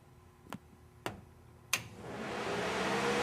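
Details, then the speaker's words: 1968 Firebird restoration, ECM scan tool commanding cooling fan relays two and three: three sharp relay clicks, then a rushing whoosh building as the fans spin up to high speed; normal high-speed fan operation. "now we have it we got high speed on the cooling fans"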